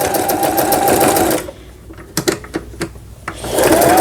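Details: 2002 Toyota Simple 10 household sewing machine after repair for thread snapping after a few stitches: fast, even needle clatter at about four stitches a second, then a pause with clicks; it sews smoothly and healthily.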